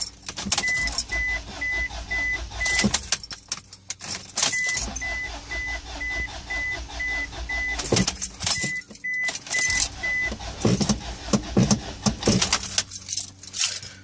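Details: 2004 Isuzu Rodeo 3.5L: key-in chime beeping and repeated cranking bursts that spin over but never catch. The engine cranks but won't start.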